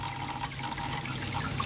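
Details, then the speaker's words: Tetra Whisper IQ 20 hang-on-back aquarium filter: steady low hum under splashing water from the intake tube part vibrating; noise stops when held and worsens with the lid on, echoing. Impeller rattle from the missing rubber tip is separate. "there's still another noise which you can hear and that is actually this moving don't know if you can see it but it's vibrating"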